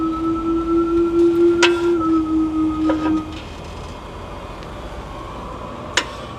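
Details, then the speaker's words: Tesla under 2 years old, about 50,000 km, rocked forward and back in gear: sharp metallic clunks at the wheel each time the brake is applied, over a steady chime; owner fears brake pads falling out, cause unknown. "听到没有？车辆前后动的时候，只要踩刹就咔咔响啊！车主确实太害怕了。"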